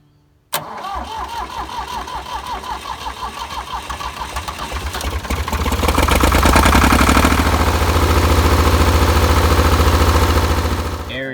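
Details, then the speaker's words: Diesel tractor that ran out of fuel, after repeated injector bleeding and about 20 cranks: steady chuffs three or four a second, then catches and runs roughly as trapped air purges from the fuel system. "so you want to run it until all that air is out so as you can see it's a lot harder to get the tractor started again than a gasoline engine whenever you run a diesel out of fuel"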